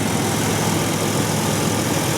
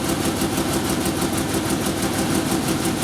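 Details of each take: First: 1997 Ford Ranger engine, about 228,000 on the clock, never rebuilt, just reassembled with valve covers and thermostat back on; earlier knock almost gone: even, steady idle with only a faint vibration, no misses, knocks or surging; smooth, healthy. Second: 1997 Ford Ranger first start after work; rough uneven idle with irregular stumble about three times a second, misfiring because the spark plug leads are out of firing order.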